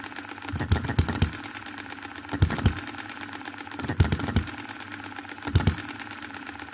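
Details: 2022 Enjomor Chinese hit-and-miss engine after fixes (spare piston ring, corrected valve timing, leaded governor weights, added spring for quicker latching): sharp firing bursts about every 1.5 seconds, quiet coasting, no rev-up before latching; normal governor running.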